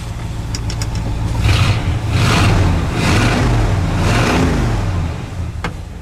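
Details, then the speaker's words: Ford wrecker V8 after Chevy HEI distributor retrofit replacing Duraspark ignition, not cold out: climbs cleanly through several blips and settles back, no more popping and cracking around 2,000 rpm under throttle; ignition pulling smoothly now. "it sounds a whole lot better my friends"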